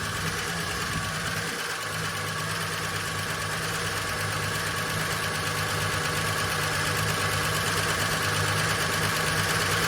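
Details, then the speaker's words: Long-stored VJ Dodge ute just started, no transmission fitted: busy, fairly regular metallic rattle about three per second over idle, from the rear; owner suspects clutch, thrust bearing sitting on pressure plate. "I think a lot of that noise now is coming from the clutch or something cuz it's got no transmission in it."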